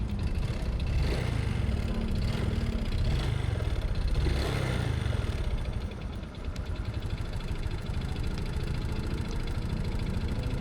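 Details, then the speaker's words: Honda Supra X 125 motorcycle at 100,000 km, synthetic oil overdue past 2,000 km change interval: coarse, uneven clatter over a steady low idle thrum; owner attributes rough sound to worn oil needing change. "Nah, itu kan gua udah kasar tuh kan. Sudah kasar banget bunyinya dan sudah eh, 2.000 kilo."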